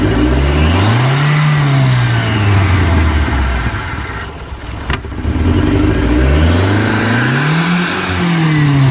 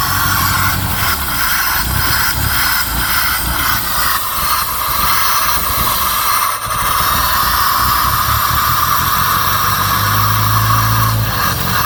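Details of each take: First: 1989 Shelby Daytona turbo, possibly swapped engine, started after sitting nearly 14 years on old gas: engine screams to high revs and surges without returning to idle; something sticking holds throttle open, cause unconfirmed. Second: 1989 Shelby Daytona four-cylinder, possibly swapped engine, intercooler missing, sat about 14 years on 14-year-old gas, started with borrowed coil wire and no prep; steady, slightly rough idle with faint hiss: running fine.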